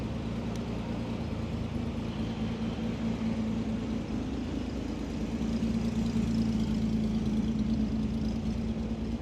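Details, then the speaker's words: 1967 Austin Healey 3000 roadster, sat undriven about 5 years and recently got running again; fuel pump audible at switch-on: steady, even low idle with no knocks or misses. Runs and sounds good, normal idle. "yeah this thing runs good sounds good"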